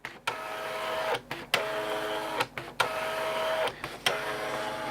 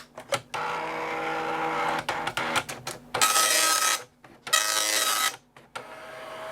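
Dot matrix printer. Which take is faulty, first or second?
first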